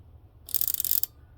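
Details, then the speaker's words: BMW E30 fuel pump relay, an aftermarket part, bench-tested with a 9 V battery: gives a crisp burst of healthy-sounding clicking but does not power the fuel pump, causing a no-start; relay faulty. "clicks still clicks like a good relay let's see this one uh just right here see this is a good relay so this is actually a found out this was actually a aftermarket relay"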